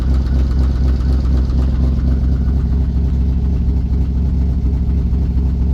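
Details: VW Touareg 4.2 V8 after a punishing off-road trail session, shut down mid-drive with vacuum brake loss; starts but very noisy at idle: heavy, uneven thrashing with a rough knock about twice per second, seemingly from the engine top, smoke from below, oil pressure and coolant warnings.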